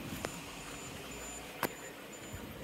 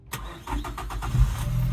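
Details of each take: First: 1996 Suzuki Every van with a weak battery, jump-started from another truck, with starting fluid; fuel pump heard priming: after a few clicks the starter churns in quick even pulses about three per second, but the engine never catches. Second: 1996 Suzuki Every van, after repairs and adding fuel to an empty tank: a few quick cranking pulses, then the engine catches and settles into a steady low idle; a clean, healthy start.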